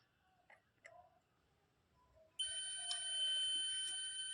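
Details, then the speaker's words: Multimeter continuity beep across the positive and negative supply terminals of a 4440 IC amplifier board, IC pin 11 to negative, after faint probe taps, showing a short; a good board gives no beep between plus and minus. "अब देखिए दोनों में हमें deep की आवाज आ रही है।"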